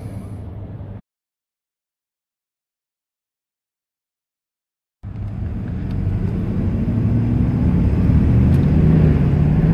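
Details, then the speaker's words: 2000 Dodge Ram 1500 road test after replacing the worn, whining differential (ring, pinion, bearings): steady road rumble and engine drone with no gear whine rising and falling with speed; the hum is gone, differential normal. "Ya quedó eliminado."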